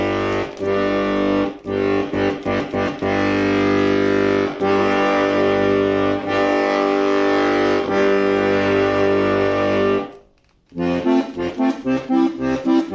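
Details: Bayan (button accordion) whose bass G reed had squeaked on bellows opening, tested after the reed was centered. Clear, steady reed notes on bellows open and close with no squeak or rasp. Normal reed after repair.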